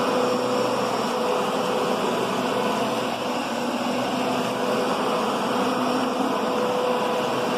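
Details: Kenmore Progressive upright vacuum with a new bag, set low on carpet: even steady roar with a faint whine, large brush roll making good contact, no knocks or grinding; normal.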